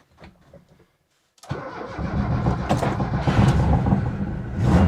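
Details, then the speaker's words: Lada Niva 4x4 just taken down after about a month on its side on a rotisserie, engine not hydrolocked: brief crank, quick catch, then an even low exhaust rumble settling into a steady idle with a light rev; normal start and idle. "ah yes there we go running nice Bradley it's the exhaust you can hear [Music] but it is working that's nice"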